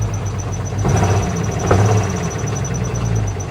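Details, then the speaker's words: Cheap salvage Jeep just after start, check engine light on, AC on, belt squealing: uneven lumpy idle with stumbles and irregular thumps, possible backfiring; misfire suspected, cause not pinned down. "Boy, she runs like crap. What is that noise? Backfiring?"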